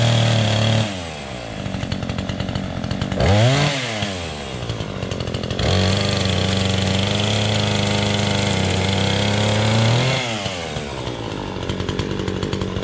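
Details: Two-stroke chainsaw with a loose chain revs up crisply, bogs slightly into the cut and recovers cleanly at steady pitch; healthy chainsaw running under load.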